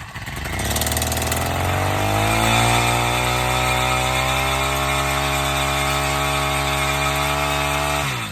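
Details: Honda FG100 tiller after carburetor work, started without choke: catches, climbs quickly in pitch, then holds a clean, steady buzz with no hunting or sputter; normal running.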